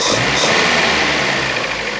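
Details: Datsun 510 after twin SU carb repair, running after jump start: steady, even idle with a light early throttle blip; smooth and settled, no stumble or hunting.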